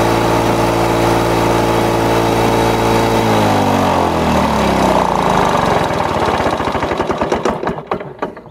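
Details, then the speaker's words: Lawn-Boy two-stroke mower after air vane governor install: catches and settles into a steady, even buzz, perhaps 75-100 rpm fast; normal governed running. "we go some people might think that's a little bit um running a little bit too fast subtly running maybe uh 75 to 100 rpms a little too fast"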